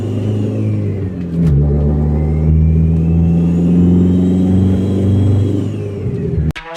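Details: 2005 Dodge Neon SRT4 with the turbo nearly detached from the downpipe coupler and the check engine light on, before repair; a loud, raspy engine pulls through the gears with a ragged chuffing edge under load, an exhaust leak at the turbo-to-downpipe joint.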